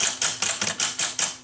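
A run of about eight crisp, sharp clicks roughly five per second over near silence: the track-change solenoid snapping cleanly each time.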